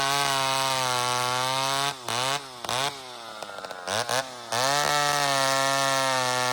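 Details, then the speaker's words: Old McCulloch chainsaw, not run in 25 years, carb deliberately set rich: steady buzz that burbles and drops unevenly on revs, four-stroking from the fat mixture, to be leaned out. "She's a little fat, friends. And I've been running that way on purpose. Hasn't run in 25 years. So, I'm just giving her some fuel here."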